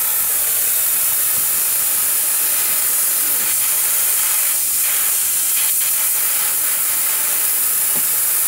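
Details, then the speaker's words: Snap-on SVTS263A air-powered cooling system pressure tester on a dry cooling system, no coolant or water added: loud, steady air hiss that grows as pressure rises, escaping through a split coolant hose, a large leak. "since this one this one's a large leak I'll show it to you this house is a split right here"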